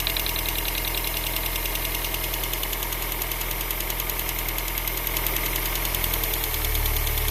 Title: X20XEV ticking sound